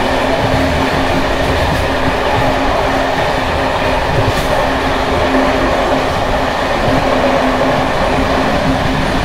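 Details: Bd264 481 coach (built 1979) on high-mileage Görlitz V bogies, evening run over uneven line 190, Hluboká nad Vltavou–Číčenice; loud continuous clattering rattle over rail rumble and wheel beat from bouncing worn brake rigging.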